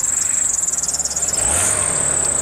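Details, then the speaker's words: VW Golf Match at idle, oil clean, service due: fast high-pitched fluttering chatter over a quiet idling engine from a slightly chattery auxiliary belt; accessory belt chatter at idle. "it does have a slightly chattery belt if you can hear that there's a belt"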